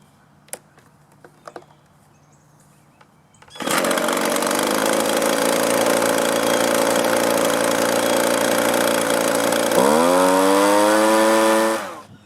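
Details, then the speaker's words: Used Echo leaf blower, likely sat a long time, after old gas removed and carburetor low, high and idle adjusted: fires up, runs smooth and steady, revs cleanly, shuts down; normal running after the carburetor adjustment. "the way this came it didn't run very well a little minor adjustment to the carburetor and it's running great now"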